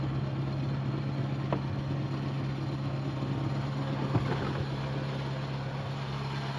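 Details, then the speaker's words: VW Gol G3 at idle: a steady low drone with a faint rough rumble from the belt end, like a worn bearing; the water pump bearing was found worn and the pump was replaced. "Você viram só? Tá com um barulhozinho estranho."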